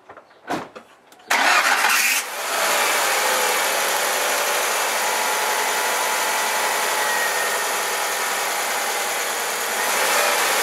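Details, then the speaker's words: 2001 Ford Focus, new timing and accessory belts and new tensioner, after soaping the accessory drive belt over four engine rotations: engine cranks, catches and settles into steady idle with no belt squeal. "all right it's like magic it works so there you go run to your bathroom grab a bar of soap and shut that squeaking up your car"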